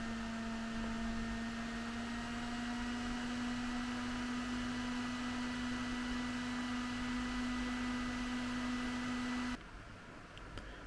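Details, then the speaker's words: Intel RM1 stock cooler on an i5-12400 mini-ITX system running Cinebench, mic about 12-15 inches away. Fan ramps up to a steady, even whoosh with a low hum and no ticking or grinding: normal cooler noise under load. "This is the sound of the Intel stock cooler on the Intel i5 12400 on a mini ITX platform, currently running Cinebench. And this is the fan noise."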